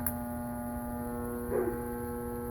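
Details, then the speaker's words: York heat pump split system after correcting reversed compressor start wiring: steady electrical hum with no rise or surge; compressor is energized but not pumping. "It's sort of running, but nothing's happening."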